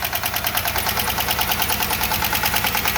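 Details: GM 3800 V6 at idle: loud, rapid, even metallic ticking at two to three clicks a second, origin unknown; owner reports it later stopped on its own and the engine ran perfectly again.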